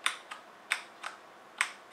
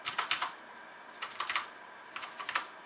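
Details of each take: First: HyperX Alloy FPS Pro keyboard: three sharp, bright clicks with a faint metallic ring and a softer release tap. Abnormal crisp click on both left and right arrow keys, present from day one. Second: Cherry MX Red switch mechanical keyboard (HyperX Alloy FPS Pro) with PBT plastic keycaps and aluminum top plate, typing test: quick bursts of crisp, even key clacks with a clean, consistent tone and no rattle; normal healthy typing sound.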